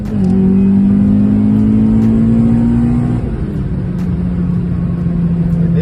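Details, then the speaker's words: B20 VTEC car with a newly bought upgraded gearbox, driving: a clear steady whine rides over the engine and climbs slightly with road speed; noticeable gearbox whine that is still bearable. "That's a bad wine though. Not that bad. Like that's bearable, man."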